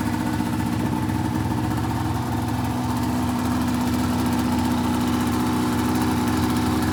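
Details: 2004 RMK 800 two-stroke sled with SOP exhaust, Boyesen reeds; crisp even idle with a steady beat, no misses, rattles or hunting; healthy idle.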